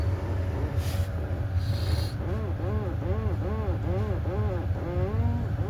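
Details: 2016 Audi A4 steering: each turn of the wheel brings a rising-and-falling creaky groan, about twice a second, over engine hum. The steering shaft cross joint is dry; the fix is spraying WD-40 on the cross joint.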